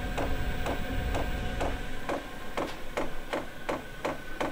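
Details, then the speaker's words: Chinese diesel air heater on first test after install: steady light ticking about three times a second over faint fan hum as the fuel dosing pump primes; it was still blowing cold at this point. "it's not working at the minute the fuel pump's clicking but that's just blown cold"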